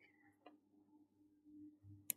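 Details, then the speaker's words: Boilermate main boiler circulating pump powered (terminal J32) but not spinning: faint steady electrical buzz with a few clicks and no spinning whirr; the pump is powered but not turning. "it's making like a very faint buzzing sound"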